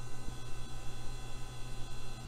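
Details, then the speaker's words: Hard drive in an old Dell 1990s–2000s system, running just before a DOS ScanDisk that later found no bad sectors: a steady low spindle hum with faint soft seek ticks and no clicks or scraping; normal operation. "let's drop down the Dos mode and run scan disk on this drive even though it sounds really healthy you never know"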